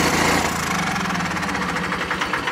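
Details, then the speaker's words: 49-year-old John Deere 318 garden tractor at key-off: single-cylinder chug that keeps stuttering in uneven coughs before it dies (run-on); owner suspects the battery voltage is too low. "We go shut it off. It's going to stutter on. That's cuz the battery probably is just so low."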